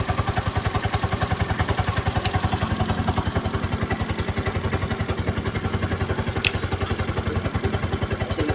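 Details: Brand-new Piaggio Ape 200cc stored long in a warehouse, with a dirty fuel tank and hard starting, running on a jump battery: quick, regular putt-putt idle, evenly spaced beats, no misses; idling properly.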